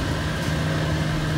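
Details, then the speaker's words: AAON rooftop package unit at a school, gym not cooling: steady, airy blower hum with a constant low drone and no compressor sound; blower runs but the compressor is known bad (likely open), disconnected and not yet replaced. "oh i do notice i think i can hear the blowers running so let's see let's see what's going on um yes i can see that the blower"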